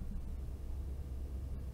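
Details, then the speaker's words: Xbox Series X running, microphone held close to the top hot-air exhaust vent at maximum gain with no noise filter: only a faint soft fan rush, no high-pitched coil whine; normal quiet operation. "mas realmente da distância que eu tô aqui não estou ouvindo nenhum ruído"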